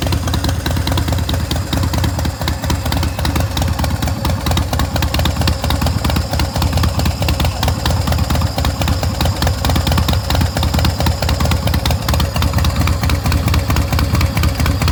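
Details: 2006 Big Dog Pitbull Pro-Street custom chopper motorcycle with 3,993 miles. A loud, loping big V-twin idle with an uneven potato-potato beat through a free exhaust, steady throughout with no knocks; healthy running.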